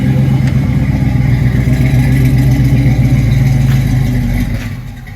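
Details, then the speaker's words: 1979 Chevrolet Camaro Z28 flood car from Hurricane Ida, carb filled by hand, fuel pump to be replaced, loaded with water: deep even V8 burble with throttle blips, no knocks or misses; runs well. "Anyway, you can hear the thing actually runs real good, and boy, is it loaded with water."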